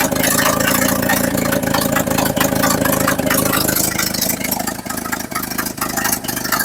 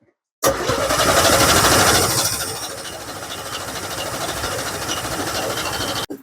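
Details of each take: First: 1963 or 1964 Chevrolet C10 stepside (year stated both ways), after fuel-air and idle tuning, now idles on its own: rough, raspy, popping and loud through a cheap exhaust; normal idle. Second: 1963/64 Chevrolet C10 step-side, coil removed to prime fuel: long, even cranking at about three turns a second with no firing, drawing fuel up from an empty tank and line; crank no start, fuel system not yet primed.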